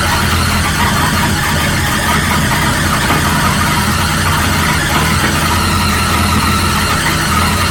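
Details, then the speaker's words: 1937 Buick Roadmaster at a fast, steady idle that never settles, with a thin squeal on top; an unused starter solenoid holds the throttle open too far regardless of idle screw setting and gets disconnected. "adjustment, and it doesn't matter where you set that idling screw, this little solenoid thing is holding it open too far."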